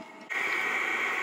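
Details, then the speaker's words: Maxpeedingrods 5kW diesel air heater (12/24V) running in a garage after initial smoke cleared: even blower hiss with a faint steady tone and no surging or popping; running fine and very hot. "as you can hear it's working fine no problems it's really hot"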